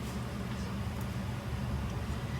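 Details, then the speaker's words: 2000 Honda Civic 1.6L SOHC, P0505 code and lean running: steady fast idle with smooth low drone; carb cleaner sprayed where intake meets head changed idle, revealing intake manifold gasket vacuum leak, gasket being replaced. "now we're replacing the intake manifold gasket because it's letting air in causing a high idle situation"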